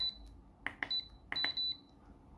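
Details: Programmable electronic load on a quality 2 m USB 3.0 extension around 1.1 A: two pairs of short high beeps as voltage sags, undervoltage cutoff alarm; rated 900 mA, cable delivered 1.3 A.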